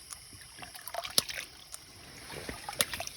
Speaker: what you're looking for is consistent clicks you get that consistent clicking you're going to hear that over and over and over again that's the water that's going to drive up to your tank